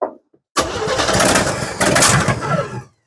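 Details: 1963/64 Chevrolet C10 step-side, fuel just reaching the filter, given throttle: brief cranking catches into a rough, ragged run for about two seconds before cutting off; hard starting.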